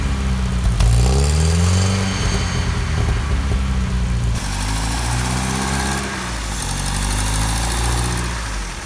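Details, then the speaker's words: 1955 Land Rover Series One four-cylinder petrol engine, freshly rebuilt after about 50 years standing, first start-up with rebuilt or replaced SU fuel pump; settles into steady, even idle after a couple of blips, no knocks or misses. "yeah she runs and for a 66 year old engine she's running very smooth"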